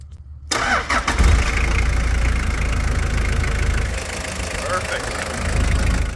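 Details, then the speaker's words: 1995 Toyota Hiace 4x4 with 1KZ-TE turbodiesel, first start after timing belt and AC/alternator belt replacement: it cranks, catches in about a second and settles into an even idle with no knocking or slapping. "right the engine did not blow up that is good news"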